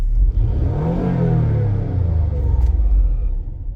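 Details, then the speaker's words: 2003 Mazda MPV with rough idle and running slightly lean (long-term fuel trims 12.5 and 10.2), AC off: engine note rises briefly on the throttle, then sags and dies; stalls on throttle from a throttle body issue. "so I turned the AC off and as you can see right there still the same right so now I'm going to hit the gas"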